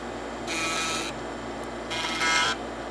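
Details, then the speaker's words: Used TEAC FD-505 3.5/5.25 combo floppy drive tested on power-up and reset, booting to DOS: two short half-second buzzing bursts as heads step across; crisp, even seek showing drive, I/O board, steppers and heads functional. "Again, this is just preliminary because we want to make sure that the drives powered up and seeked, meaning the computer can see them. Go ahead and do a reset. They should seek again."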